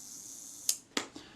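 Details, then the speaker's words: Retina IIIc shutter after service for a very sticky shutter, with molybdenum paste on the main cam, while testing slow-speed gear-train adjustment: crisp release, brief even whir of slow-speed gears running down, clean latch clicks; runs down nicely, normal. "well it runs down nicely that's good"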